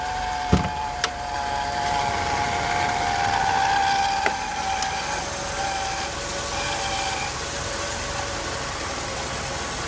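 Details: 1992 Mercedes-Benz 300E at cold start: thin high whine over the idle for several seconds, then fading, gone after revving; turned out to be the water pump.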